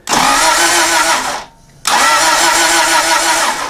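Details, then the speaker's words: 1994 Toyota Celica 1.8 being diagnosed for no spark: key on, injectors plugged in, two bursts of even quick cranking of about a second and a half each, and it never catches on the flooded engine. "Now, it might be a little bit flooded, but key is on. Injectors are plugged in. We'll continue to use this. It's flooded."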